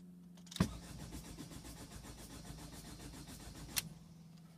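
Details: 2005 Ford Fiesta 1.5 TDCi diesel that won't start: the starter turns the engine over at an even, steady beat for about three seconds, but it never fires or catches.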